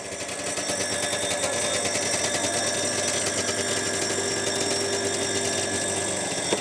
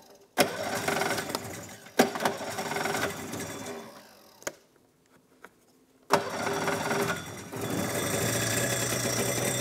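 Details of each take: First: Two-stroke snowmobile first start after carb cleaning with fresh fuel: steady fast idle buzz with a light irregular rattle on top, attributed to the recoil starter rather than the engine. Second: Two-stroke snowmobile first start after carb cleaning (ultrasonic bath) with fresh fuel: a few recoil pulls, then fires and holds a steady even buzzing idle with no misses; runs well apart from the recoil.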